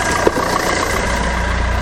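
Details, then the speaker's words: Fiat Doblo after oil sump replacement, oil refill and new exhaust with cat, bumper off, engine light still on: oil pressure light goes off, quiet steady low idle, smooth even beat, no ticking or blowing; normal idle. "oh but listen to that oil pressure just went off oh that sounds so much better that sounds fantastic"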